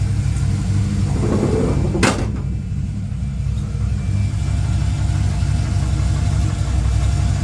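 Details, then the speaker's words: Tahoe warming up at idle: deep uneven rumble with dull knocking underneath; owner first suspects rod knock, then upper valvetrain, possibly the cam, unconfirmed; linked to suspected oiling issue. "I almost hear Rod knock. She sounds like she's knocking, folks."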